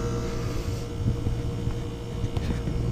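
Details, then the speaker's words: Geothermal heat pump unit about 8 oz low on charge, not making temperature: steady low compressor hum whose tone shifts as Y2 is removed and second stage cuts out; second-stage staging works normally. "I can take my y2 off you hear the compressor change tunes so I know the second stage is kicking on and kicking off"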